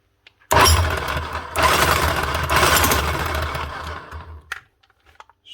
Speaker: Sounds good. That's her. One big Bosch GSH27 Breaker. Up and running again with just a new switch.